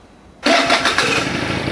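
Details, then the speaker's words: Pegasus Sky 50 scooter after a light accident damage: harsh, raspy clatter the instant the starter cranks, continuing as the engine catches; starter problem suspected. "na das hört sich ja wirklich scheiße an da muss irgendetwas mit dem anlass nicht in ord"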